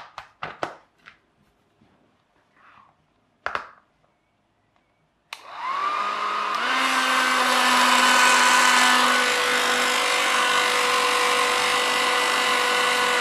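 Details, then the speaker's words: VISIQ HD-051-A 1200W hair dryer with a DC motor: after a few clicks it spins up to a hissing whine that sags in pitch. The motor sounds tired and strained, and it normally has a bit of a rattle too. "so this one does work but it sounds a bit sad"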